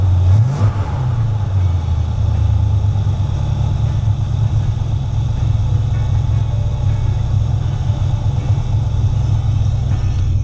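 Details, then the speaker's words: 1976 Ford F100 with 460 V8, long stored, tank drained and refilled with fresh fuel but carburetor not drained: settles into steady, slightly lumpy low idle on its own while still burning stale fuel. "yeah i'm still burning some of the old fuel i didn't pull the carburetor off and rain it probably should have but it's pumping fresh stuff up into it now"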